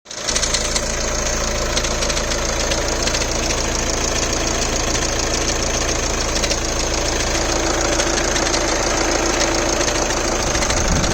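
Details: VW Golf Mk7 (2010 stated), automatic, petrol engine idling at cold start with a light, fast clicking over the steady engine hum; cause unknown, owner seeking suggestions.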